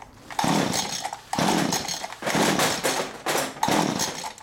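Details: STIHL string trimmer, spark plug refitted after gas was poured down the plug hole, full choke, ignition on: five rough one-second bursts, one per pull, each catching briefly then dying; fuel problem, the pump is suspected.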